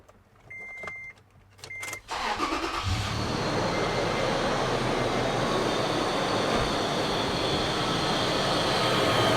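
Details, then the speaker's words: Toyota FJ Cruiser at idle after start chimes: a constant gritty whirr over the engine from a worn idler pulley bearing. One of several idlers is noisy; replacing all is recommended. "you hear that noise just holling away very [Music] clear that's how this sounds like let me shut it off so that that's the noise of the idlers"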